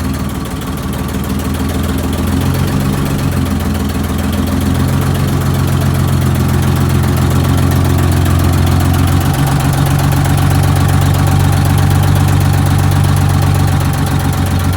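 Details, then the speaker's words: Eagle bus diesel after head work and new larger fuel injectors, restarted after losing prime: loud, deep, even idle beat, steady and settled with no misses or knocks; running real smooth before test drive. "so it took a minute to start it there but it's running real smooth now yeah it's got a little get up and go"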